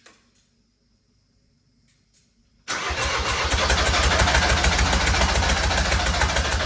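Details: Recovery truck diesel engine: a short crank, then a hard, chattering knock about three times a second at idle, "like a helicopter". Injectors were damaged when removed for new seals and refitted.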